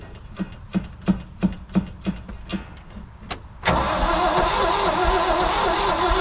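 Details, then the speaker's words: International V345 dump truck, 5-speed column shift, 13,000 miles shown, sitting about 22 years: even cranking about three turns a second with no firing, then a sudden loud rush; cranks but won't start, possible dead cylinder, fuel line dry and fuel pump suspected. "bump it oh it's a pretty good sound and crank sounds like it may have a a dead hole on one cylinder"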